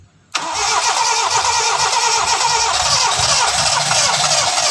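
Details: Toyota Starlet just after an oil change and four new spark plug wires: catches after a short crank, then a slightly unsteady hum with a wavering low beat, not yet settled; said to be smoother than before the service.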